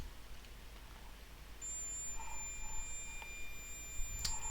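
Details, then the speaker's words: Veon VN3839LED LCD TV that won't turn on and has a flashing power LED: multimeter continuity test gives an unbroken high-pitched beep across a rectifier diode among paralleled diodes in the power supply, showing it is shorted. "look at that something's not happy on that one is it nope the one next to it you can hear that beeping too"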